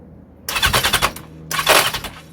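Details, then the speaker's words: 1982 Yamaha XJ750 cranking on the starter with air filters fitted and carb cleaned: two bursts of harsh, rapid machine-gun rattle, no firing even with starting fluid; owner suspects the starter clutch. "hear that rattle that's the um starter clutch I can't even get a cough with s fluid"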